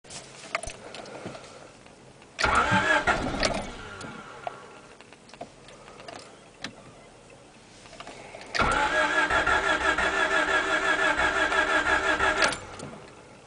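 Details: Engine's first start attempt: two bursts of steady starter cranking, roughly three turns a second, with no catch or firing; cranks but won't start.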